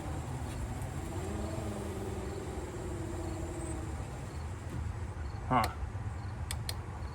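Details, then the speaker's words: 1994 Cadillac Fleetwood Brougham rear window after regulator guide clips refitted, car left in accessory mode so battery ran low: slow, labored motor hum dragging a few seconds before a clunk; window goes up and down but struggles on low battery. "Will the window go up and down? Kind of. Almost sounds like it's struggling."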